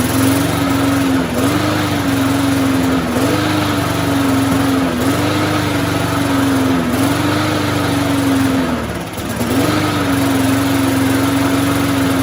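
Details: Curbside-rescued MTD walk-behind mower with no blade and no air filter, just started; steady single-cylinder buzz with slight regular dips every couple of seconds, basically healthy; smoke is suspected to be oil burning off after tipping; normal running.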